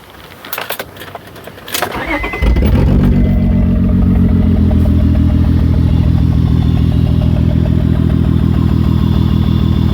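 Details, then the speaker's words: 2003 Honda Odyssey 3.5 L coil-on-plug engine at idle, catalytic converter disconnected so it's loud: after the crank and catch, a lumpy idle with a regular stumble that shakes the hood; a dead miss from a shorted ignition coil, with misfire codes. "The shaking of the hood kind of shows you the miss, maybe more than the sound. I'm not sure how well the sound will show up, but in a pattern that matches exactly what this misfire is. So it has a dead miss for sure."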